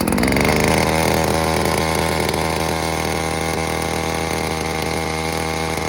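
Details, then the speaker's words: New Little Beaver TCS4600 chainsaw on its first-ever start after sitting hours in a cold truck: choke used, fuel purged. It pops, then runs at high idle for a five-minute break-in warm-up. Steady, buzzy, even two-stroke beat with no misfire; healthy. "let it run on high idle, chokes in. I'm gonna let it warm up for, well, at least a good 5 minutes while I get my gear on."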